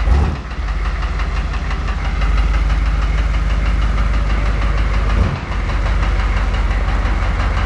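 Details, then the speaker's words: Engine with cracked pistons after 80,000 km, driving into the garage for the last time: heavy, steady rapid knocking over a deep low rumble, piston slap from the cracked pistons. "And this is pulling in the Rattlepuss with the crack pistons motor for the last time."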